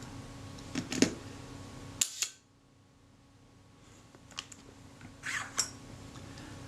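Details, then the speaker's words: Kodak Retinette F type 022/7 shutter, serviced and reassembled, fired at 1/5 second: two crisp clicks about a fifth of a second apart with light handling noise; slow-speed timing sounds reasonable, normal shutter operation. "that sounded more reasonable to me."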